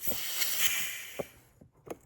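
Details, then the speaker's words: GM TH400 transmission being rebuilt on a fixture: compressed air applied to the clutch piston hisses, then dull clicks and clunks as it strokes normally; no rattling, clutches applied tight. "Apply air. No rattling around. She's nice and tight cuz the clutches are applied."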